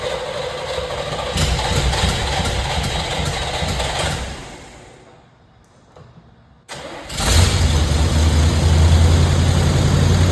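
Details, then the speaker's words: 1980 Chevrolet Corvette C3 V8, valve covers and air cleaner off: cranks, fires after a pause, then settles into an uneven, loping idle with a stumbling beat. The vacuum gauge bumps and the number six exhaust valve isn't opening, a wiped cam lobe, so it runs as a V7. "Means a cam lobe is wiped out."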